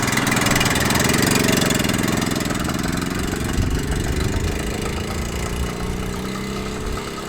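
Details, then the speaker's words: 1978 Honda Z50A single on first ride before rebuild, smoking, with poor compression said to gain about 10 psi after running: revs rough and uneven with a loose knocking as it pulls away; engine knock. "That is the first ride complete. I think that's quite successful. It knocks and it smokes, but it runs."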